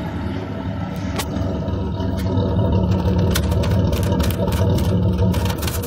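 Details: GMC Jimmy (same as Blazer/S-10) with 4.3 Vortec V6, owner reports strong vibration, high fuel use and fuel smell; low, lumpy idle stumbling three to four times a second, running rich from fuel leaking under the intake; codes P0300, P0401, P1133.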